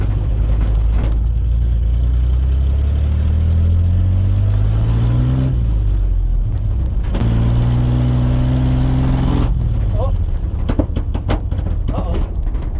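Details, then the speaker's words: Chevy C10 truck with a freshly rebuilt Chevy 250 engine on its first drive for piston break-in, a couple miles out: pulls steadily, then stumbles with a couple of pops and dies, won't restart; cause was a loose battery cable. "I got a couple miles out and heard a couple pops and the truck stopped and it doesn't want to start."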